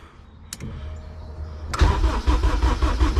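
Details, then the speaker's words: K24-swapped Honda EG before first start, injectors disconnected to prime oil through the system: starter spins the engine with an even, steady chugging rhythm and no knocks or scraping; clean, healthy cranking without firing. "Here it goes. Okay, so we are priming the oil through the system."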